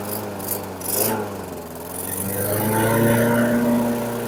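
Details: 2008 Weedeater 22-inch 500 series mower, engine model 10T502, after non-start repair work: small single-cylinder holds a fast, steady buzz with RPMs a little high; may be left high for heavy cutting; throttle cable and a possibly bent screw to check.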